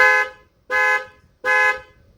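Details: 2003 Mercury Grand Marquis LS: three sharp, even horn chirps about 0.7 seconds apart, each cutting off cleanly, when locking with the remote; the remote lock chirp works normally.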